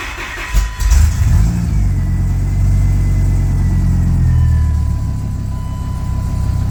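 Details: Dodge Ram V10 tow rig, first start after battery installed, new transmission pan and fluid fill; quick crank, catches cleanly, settles into deep steady even idle; healthy, good oil pressure, tachometer not working.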